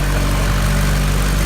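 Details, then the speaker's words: Honda Integra DA9, first start on a new Neptune Demon 2 ECU running a base map with guessed injector sizes: deep, steady, even idle with no misfire. It idles much better than on the old injectors; the O2 sensor is not yet reading. "Yeah, dude. Sounds great, dude. Yeah, it sounds, the idle's way better than before with those shit ass injectors."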